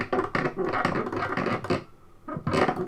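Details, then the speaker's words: NES Advantage controller before teardown: irregular dry scratchy rasps in bursts each time the joystick is worked, short quiet gaps; noise source inside not yet found. "yeah can't be playing it without making that noise so i thought we'd tear into it and have a look um see if there's something we can do about that"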